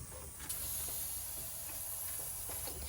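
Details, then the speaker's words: Nissan R32 Skyline intake pressure-tested after fitting intercooler piping, engine off: thin steady high hiss of a small boost leak, suspected through the throttle body or idle control valve, possibly manifold or gasket; not confirmed. "It's hard to say what it is. Get your ear on it. I can hear it. It's like down here. So it's just leaking through the throttle."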